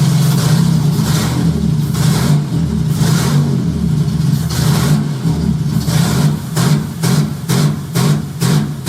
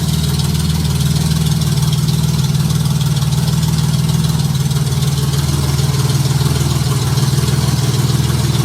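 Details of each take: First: J35 engine swapped into a Subaru Baja at start-up, AEM Infinity ECU untuned; revs climb to a 2000 rpm rev limiter, then ignition cuts in a choppy on-off bark about twice a second. Lambda about 0.9, slightly rich. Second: Junkyard Honda J35 V6 with 183,000 miles in a Baja, start on AEM Infinity ECU, warming up at idle before throttle: steady even low idle, no knocks or valve clatter, good oil pressure; healthy.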